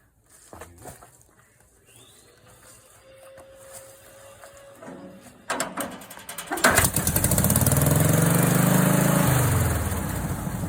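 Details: Volkswagen 1.6 air-cooled industrial engine driving a fire pump, hand-cranked without a battery after new distributor and ultrasonic carburetor rebuild: catches after a few turns and settles into a steady even beat, revving then easing off; healthy.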